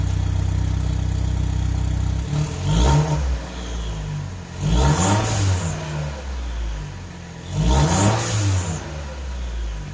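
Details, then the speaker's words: Gen1 Chevy Cruze 1.4T, tuned by Trifecta, after ZZP catless downpipe and mid pipe install on stock exhaust, warm start: three clean revs rise and fall evenly with faint turbo whistle on each climb, no rattles; normal start and rev with turbo spool. "I guess that was more of a warm start, but"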